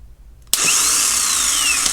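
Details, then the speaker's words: Used replacement starter for a 2005 Mercedes CLK320 W209 (M112 V6, no-start diagnosis) being tested before installation: it snaps on and winds up to a smooth, high, steady whine with no grinding. The starter is good. "let's first of all check if this starter is any good okay and of course of course okay you can see it's this one is working"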